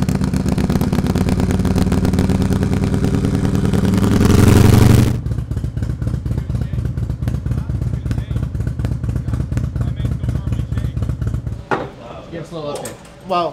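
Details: Harley-Davidson Milwaukee Eight with new S&S MK 136 crate engine and 550 cam, freshly installed, warming up: revs hard then drops to strong even lumpy idle about 4 pulses/s; runs healthy, probably needs fine tuning.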